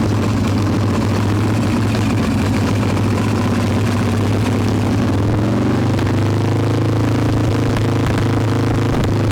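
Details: Harley-Davidson Evo Softail, warm engine without choke, carb loose with choke plate off, mixture screw around one turn out: deep loping idle wavering in pitch midway; intake air leak, later traced to loose intake bolts and cracked vacuum cap.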